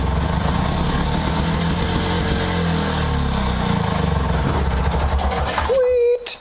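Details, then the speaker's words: 4 hp, 21-inch lawn mower, small two-stroke, primed then started on the electric start; fires and settles into a steady, even buzzing run before shutting off; healthy engine, electric start works. "That friggin' works too. Nice!"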